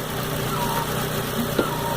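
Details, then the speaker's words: 2010 Troller (Chevrolet engine) at steady idle: faint dry whirr over the engine from a worn water pump bearing; fix is removing the timing belt and cover, replacing the water pump, plus cooling system decontamination. "barulho é proveniente da bomba d'água então vai ter que montar a correia dentada tirar essa capa e trocar essa bomba d'água vai resolver barulho"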